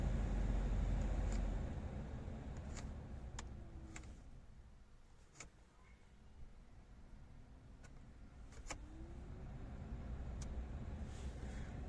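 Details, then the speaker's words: VW Polo 9N3 heater blower motor that squeaked, after cleaning, lubrication and refitting: a soft, low whir that rises, dips and settles with no squeak or chirp; the fan now spins quietly and smoothly. "и о чудо все работает тихо божьей помощью сделали"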